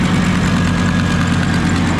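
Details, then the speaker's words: Old Ford Super Duty dump truck early morning after new exhaust and muffler: rough low idle with a faint quick ticking on top, much quieter than before; owner confident of an exhaust manifold leak at the heads. "Hopefully you guys can hear that. There's definitely a tick there. But at least she's not rip-roaring loud like she was."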